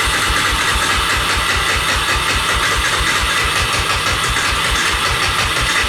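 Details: 1988 Honda FourTrax 300 4x4 ATV after sitting for years, with the cooked spark plug cleaned and a little choke: the starter turns it over at about four even compression pulses a second with no firing; cranks but won't start.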